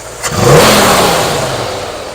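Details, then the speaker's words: 1964 Ford F100, newly installed Pertronix cast distributor, driveway timing set near 22 degrees initial (marks possibly inaccurate): quick blip rises sharply and returns cleanly to idle, no stumble; significantly more crisp throttle. "significantly more crisp on the throttle"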